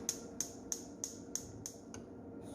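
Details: A GE gas cooktop auto igniter, after replacing its damaged wiring, gives seven sharp, evenly spaced snaps about three per second, then quiet; the burner igniter is now sparking properly.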